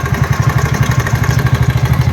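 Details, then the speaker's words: TVS Ntorq 125 BS6 scooter at only 2614 km, before repair: fast, even metallic clatter on the idle at about eight to nine beats a second; a mechanic said the noise is inside the engine. "क्योंकि mechanic ने बोल दिया engine के अंदर आवाज है।"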